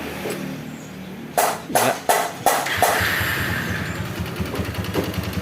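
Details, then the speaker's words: Honda Megapro Primus motorcycle just fitted with new racing camshaft and rocker arms, first start after reassembly: a few cranks, then fairly even steady idle, no knocking; valve clearance not yet set for new cam, to be readjusted later. "ini cukup halus suaranya ini karena setelan klepnya belum pas ya masih Penyesuaian dengan noken as yang barunya"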